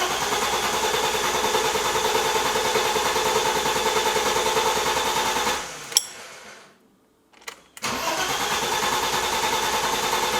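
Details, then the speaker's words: BMW E30 M20 after fuel injector and fuel pressure regulator install, first start attempt: starter churns evenly about three turns a second without firing, pauses, cranks again; no start, traced to a fuel line fault. "It's not wanting to start at all. So I actually found out what the issue was, and it was the first thing that I thought may have been the problem."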